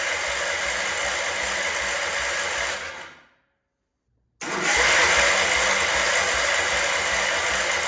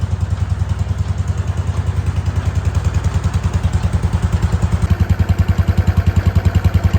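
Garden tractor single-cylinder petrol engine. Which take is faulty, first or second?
first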